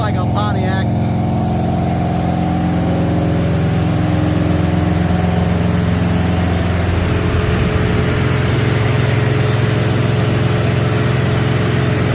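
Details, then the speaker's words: Freshly built small-block "Pontiac" 327 V8 about 15 minutes into break-in at high idle, at 190–200° with solid 50 psi oil pressure: a loud, even, solid beat with no knocks or misses. Normal break-in run. "breaking her in man she's loud"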